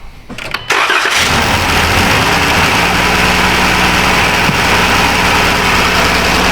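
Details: 2015 Dodge Caravan, one injector unplugged/dead, tested with noid light: starts after a brief crank then rough, uneven idle with irregular stumble; engine misfire from dead injector leaving one cylinder misfiring.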